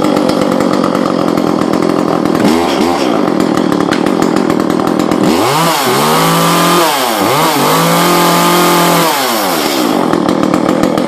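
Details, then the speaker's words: Echo CS-400 chainsaw after muffler exhaust mod and carb mod, retuned with high adjusted about one and a half turns out and a small low adjustment: crisp even idle buzz, clean revs to high and back, no bogging, running better though not very loud. "sounds a lot better. Still not too crazy loud, but it's definitely it's definitely running better."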